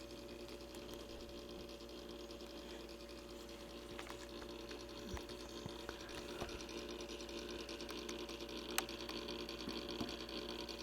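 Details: Simplex Time Recorder synchronized clock after repair, dirty run: steady mechanism hum with a faint electrical tone and irregular light ticks and clicks throughout; running normally.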